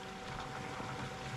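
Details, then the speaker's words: The electric intercooler coolant pump on a Chevy SS/G8 LSA supercharger swap, run directly from the battery via a switch to bleed air, gives a quiet, steady hum with soft water swirl and no rattle or grinding; it is circulating normally. "So you can see right there. She's cooking. Pretty quiet, actually."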